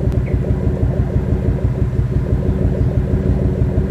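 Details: V6 engine at idle, heard at the exhaust: lumpy, uneven pulses with beats dropping out, indicating a misfire with no power; coils, plug wires and spark plugs already checked OK; owner wonders about the O2 sensor, knock sensor or power transistor.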